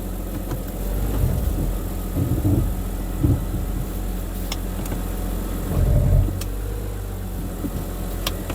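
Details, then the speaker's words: 2011 BMW 328i xDrive (E90, high mileage), restarted: starts right up, starter sounds good, steady smooth idle with even firing; normal idle, though a 4x4/transfer case code is present. "Starts right up. The starter sounds awesome."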